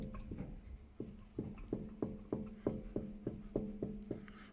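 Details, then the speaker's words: Ford Focus Mk3.5 on a lift, left front wheel spun after earlier brake pad change: light regular knock about three times a second in step with the wheel; ball joint or steering rack suspected, actually at least four wheel nuts had come loose. "I can hear a knocking noise. Now that could be a ball joint, it could be a steering rack, but I'm thinking, yeah. Yeah, that'll be the problem with it then."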